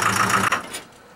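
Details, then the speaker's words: Truck engine in a no-oil/no-coolant run experiment, after 50 minutes of idling: hard, rapid knocking about seven a second over a rough idle, sounding like a diesel, just before it dies; bearing knock from oil starvation. "so after 50 minutes of idling this truck is finally begin to make some knocking noises it sounds like diesel engine"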